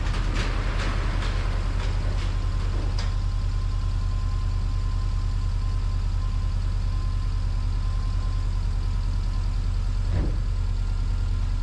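Steady low idle with an even beat, no knocking heard over the hum; engine seems to idle smoothly.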